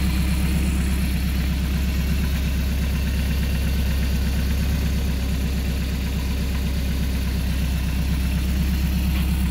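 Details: Rebuilt Mercruiser 170 3.7L marine engine after break-in, about 1.5 hours, idling with makeshift wooden muffler: deep even idle, about three beats a second, no knocks or misses; healthy.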